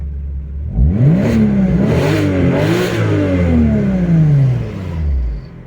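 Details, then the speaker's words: A warmed-up 2001 Porsche 986 Boxster S 3.2 Tiptronic flat-six, fitted with 48 mm exhaust dB killers to cure exhaust drone, idles quietly on private land. It blips up smoothly and falls back evenly with a healthy, subdued exhaust note. "back on private land as you can hear it's ticking over now it's really quiet it's actually sounds a bit better now the all the Metal's heated up and everything"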